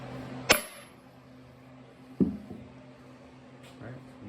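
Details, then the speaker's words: Plymouth MTD 30 locomotive Twin Disc torque converter reassembly: bearing tapped in through wood and paper towel, two sharp taps, the later duller and shorter as the sound changes when the bearing bottoms out, meaning it is fully seated. "that until the bearing bottoms out you can hear it when it hits because it changes sound and that's all there is to it now the bearing's set and it's uh beautiful"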